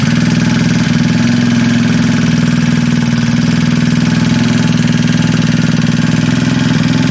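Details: Freshly assembled Trailmaster 150 stroker single-cylinder engine with cleaned head and valve job: quick, even putter about four beats a second holding steady; clean, healthy idle.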